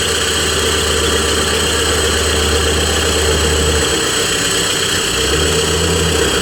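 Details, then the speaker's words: Cat D3K2 dozer, complaint of rough running, bogging under push, fluctuating rpm and white smoke: with the exhaust disconnected after the turbo it idles loud and even with no misses or hunting. DPF at 86% soot load; plugged DPF suspected. "So I'm going to say the DPF is plugged, or something is choking out the exhaust after the turbo. Unless it's coincidental that the machine just wanted to run fine for me at this point."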